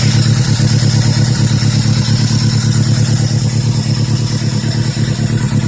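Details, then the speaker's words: 2002 Toyota Corolla LE with a bad motor: takes very long to start, then a loud, uneven, lumpy stumbling idle with occasional clatter and engine shake; check engine light flashing, won't accept throttle; rough running engine. "takes forever to start wouldn't even let me it won't doesn't even let me push the throttle now that motors shake"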